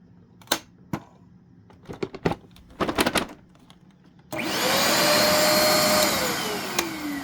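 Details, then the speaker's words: Used vacuum cleaner being tested: a few sharp clicks, then the motor hums and whirs up with a wavering pitch that never settles; the motor is struggling to start. "now again I don't expect this to do anything but yep ooh do you hear that it like sounds like it's trying to"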